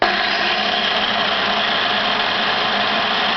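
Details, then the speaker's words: Power tool motor after cleaning the commutator with sandpaper and checking the brushes to cure sparking: an even, high-pitched whir at constant speed with no crackle. The brushes re-bed after about a minute of running, and the tool works properly again. "so once you've got it going just let it run for about a minute or so and then you'll the sparks will the the bushes would re-embed themselves and then you've got a perfectly working tool again"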